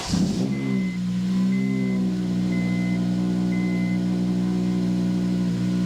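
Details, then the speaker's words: 2008 Honda Civic Type R 2.0 petrol, started after changing all four spark plugs: clean start settling to a smooth, even idle, slightly loud from the exhaust, with a faint repeating chime, running fine. "sounds fine to me. A bit noisy because of the exhaust, but there you go."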